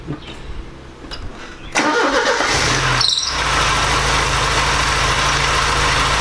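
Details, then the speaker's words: Porsche 944 after engine swap, after gasket fix and throttle cable adjustment: cranks, catches and settles into steady even idle, no longer sounding like it runs on three cylinders; healthy. "that sounds a lot better since we fix the gasket doesn't sound like it's running on three cylinders anymore"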